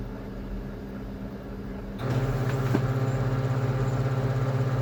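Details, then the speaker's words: Kyocera P3145dn laser printer that had loud crackling, squealing, noise and constant paper jams near the drum. After replacing gear Z128R (302L231040), the print run starts with a smooth, low, steady hum and no crackle, squeal or grinding. Normal quiet printing. "Ну всё, принт работает тихо, всё отлично."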